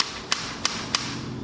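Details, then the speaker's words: 1991 Honda CR250 that wouldn't start, carburetor reinstalled: three crisp metallic clicks as throttle slide snaps fully shut; owner suspects slide was stuck up before, now closing freely. "all right reinstalled the carb now you can hear the slide hitting in there so I wonder if that was stuck up yeah that sounds a lot better"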